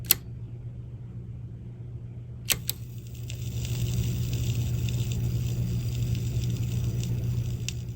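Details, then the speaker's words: Fisher RS-220 receiver bought dead from a thrift store, powered on with a 1.5 A slow-blow fuse fitted: steady mains hum, then a dense hiss-like crackle with sharp snaps; arcing, possibly at the power switch, though not confirmed. "Oh, I hear the arcing. Where is it happening? It's not happening from the power switch. We've got another issue."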